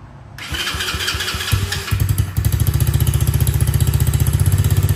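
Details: New X-Pro Bolt 110cc ATV, first start-up after assembly, 10W40 oil and 93 octane fuel, battery charged, brake applied to start: starter whirs briefly, engine catches and settles into a steady, even idle thump; healthy start.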